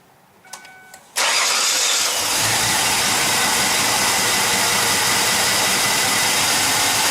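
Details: 2006 Ford Taurus 3.0 in cold weather after replacing the starter, whose original had only clicked: brief starter whir, then the engine catches cleanly and settles into a steady, even run with no clicking or grinding; normal cranking and start.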